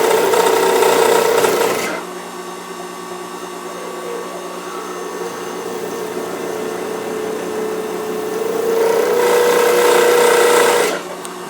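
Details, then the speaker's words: Turning a blue acrylic bullet-pen blank on a lathe, tripod on lathe table picks up vibration; harsh rasping cut grows louder and rougher toward the blank's end with chattering beat because the end is not yet rounded: out-of-round blank vibration. "hear it kind of getting louder as I get toward the end a little bit of vibration that's because the end of the blank is not completely rounded yet"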